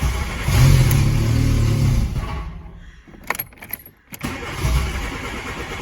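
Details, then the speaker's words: 1988 VW Polo MK2 breadvan after refitting a cleaned carburettor: the starter cranks steadily at about three turns a second but it won't start; carb spray helped, so owner suspects fuel isn't reaching the carb (cause unconfirmed). "It's as if the fuel isn't getting up at all, because the carb spray did help."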